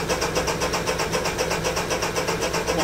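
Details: Honda EU3000is inverter generator, unused since June, that starts by pull-cord but not with the electric starter: cranks briskly at six or seven strokes a second without firing. There is no spark and it is possibly flooded; the battery seems fine.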